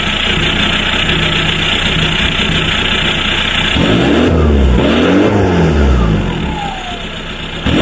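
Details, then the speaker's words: VW Passat B3 35i with ARL PD150 diesel swap on a new straight-pipe exhaust: loud raw diesel clatter at steady idle, a couple of quick blips then settling, owner calls it a weird sound; normal idle. "we sounds a bit it's a weird sound"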